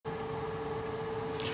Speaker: that noise ringing noise it's called a singing return air vent the vent has two high velocity it's making turbulence and these things are ringing